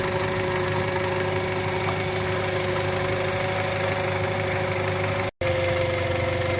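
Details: 2013 Toyota Avanza 1300cc at idle, noise at the front pulleys: steady droning hum at constant pitch over the idle. Diagnosed as alternator bearing growl; the alternator is to be taken to an alternator repair shop.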